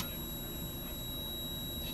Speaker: Hear that beeping sound? So there is continuity while it's on, and when it's off, it turns off.